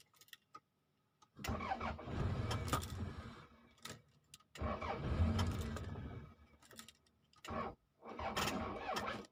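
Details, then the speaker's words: 1992 Toyota Camry after the weak battery was charged: several start attempts, each catching and running a few seconds before dying; won't keep running, and the owner suspects fuel not yet reaching the engine or timing. "Dah boleh. Enjin dah boleh hidup. Cuma dia tak lekat je lagi."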